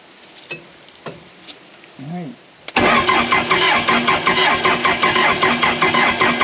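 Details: Case 450B dozer abandoned 15 years, just-rebuilt Roosa Master DB2 injection pump: starter spins steadily about two and a half beats a second, never fires, no smoke; no fuel reaching injectors.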